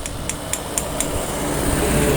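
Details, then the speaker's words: Honda GL Pro motorcycle engine, piston placed in the cylinder liner and tapped by hand: five sharp hollow taps then a whirr; piston loose in the liner, engine barely smoking, recommended fix is rebore with new piston set. "kalau seker dimasukkan ke liner kemudian dipukul-pukul pakai tangan Kok bunyi seperti ini itu dipastikan sudah mengalami kelonggaran walaupun sepintas motor ini nggak ngebul"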